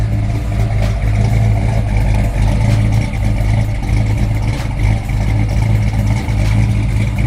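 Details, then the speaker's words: Built V8 (MSD ignition, Comp Cams, Brodix heads, stainless headers) free-revved in the yard: deep rumble swelling and settling through throttle blips, clean with no knock or miss; healthy. "Oh yeah. She getting down with that get down. Yes, Lord."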